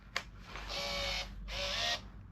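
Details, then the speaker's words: Yamaha RD350LC YPVS hybrid rebuild, ignition on with the battery fairly flat on a float charger: a click, then two roughly one-second high buzzing runs as the power valve servo cycles cleanly. Working normally. "you hear the power valve go"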